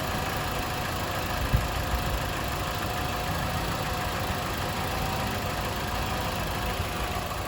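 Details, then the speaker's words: Mitsubishi Lancer after the pillow ball mounts were lubricated (WD-40/lithium grease): steady engine idle while steering turns, no clunking from the front suspension; quiet suspension while steering. "You guys see it's turning, no more noise, no more clanking sound, guys."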